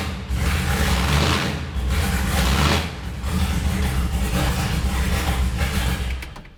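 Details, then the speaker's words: Dan Gurney's classic Chevrolet Impala V8, freshly restored, first start with no silencers: deep loud rumble with several clean rev swells over about six seconds, music underneath. Starts and revs cleanly. "Wow, I think we might need silencers when we've done the revival. That is absolutely mega, isn't it?"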